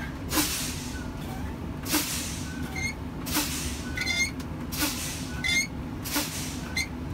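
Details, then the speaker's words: Truck air brakes during a pre-trip spring brake pop-out test: repeated sharp air hiss bursts about every 1.5 seconds as the brake pedal is fanned, pressure bleeding off until tractor and trailer spring brakes pop out at 26 psi, normal. "Last test you're going to do is a spring brake pop out test. I'm just going to fan my brake pedal until the spring brakes pop out."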